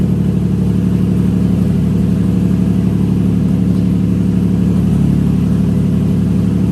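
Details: Nissan 350Z drift car with a newly installed replacement engine, starting up after refitting the fuel pump fuse: loud, steady deep idle with an even beat and no knocks or ticks; running healthy.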